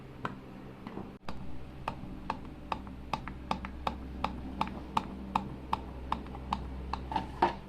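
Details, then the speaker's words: Maruti Wagon R blower: sharp light ticks about three a second over a low fan hum at high speed; play in the worn blower motor shaft lets the fan strike its housing. "यह जो play है यह वाली इसकी वजह से shop high speed पर चलती है ऐसी जो घूमती है तो यह इसके से टकराती है टकराती है है"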